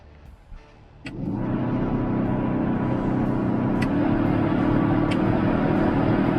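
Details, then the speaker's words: Ex-German Army Unimog U1300L cab interior fan motor after repair: spins up to a steady smooth hum, no grinding or rattle, faint background tick; earlier horrible noise gone, though about a 1 mm bushing gap remains, so not perfect. "yeah that's better is that horrible noise is gone obviously it's not perfect because there's about a millimeter gap in the bushing under sure so yeah that'll do for now"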